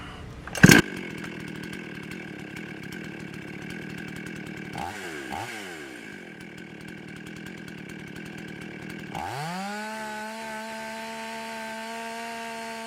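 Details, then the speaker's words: Husqvarna 55 chainsaw after the carburetor gasket air-leak repair and retune, slightly warmed up: steady idle, quick blips, then a clean, smooth high-rev hold at about 13,000 rpm with the high jet at maximum richness. Perhaps a touch high, but running properly. "all right i like the rpms they're sitting uh right at about 13. um sounded if anything it might be just a touch high but it's all the way at maximum richness on the high jet without pulling the plugs"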